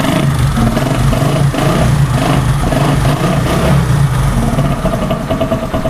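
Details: Single-cylinder motorcycle engine during a starter motor carbon-brush repair, running with a firm even beat and some throttle blips; starts and runs normally.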